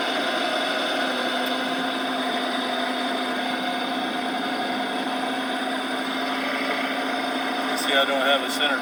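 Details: 2014 Dodge Charger Pursuit 5.7L HEMI, 5-speed automatic, 116,000 miles, heard inside through the driveshaft tunnel after driving through flooded roads: Wheel-of-Fortune clicking at low speed becoming a higher whine with speed, unaffected by gear; owner suspects rear axle, transmission or hanger bearing.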